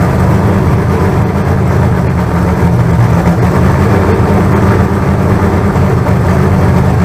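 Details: Freshly built carbureted 388 small-block Chevy (heads and intake from the owner's problem 406, crew-cab Chevelle) on first run-in out of the car, throttle worked by hand: loud, deep, steady rumble, no knocks or ticks; solid oil pressure, about 80 psi. Normal running.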